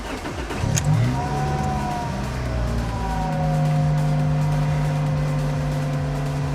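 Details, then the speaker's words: Toyota Celica GT-S (2000–05) after installing an Injen IS2045P short ram intake, cold start recorded with window down: loud TRD exhaust with a steady whirring tone tracking engine speed, which the owner attributes to the alternator. "What I hear the most is the alternator on my car, that whirring noise. It's bad, so this video might not do justice that well, but you can hear the intake"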